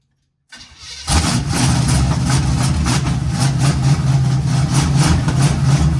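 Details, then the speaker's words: 1951 GMC 5-window cab-over, first start: engine catches and settles into a lumpy, uneven idle with a hissy, unsteady beat; rough running from a big vacuum leak, fixed temporarily afterward. "Neat. Got a big old vacuum leak, but take care of that real quick."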